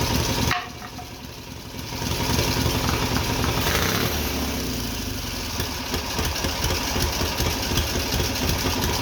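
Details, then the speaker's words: Twin-cylinder Briggs & Stratton engine on a mini bike, first start after a quick carburetor rebuild, homemade black steel pipe exhaust, hard lazy crank; catches and settles into an even steady idle, throttle blips rise and fall cleanly with no misses or knocks; runs well. "not bad man it runs good I can't believe how good that runs honestly"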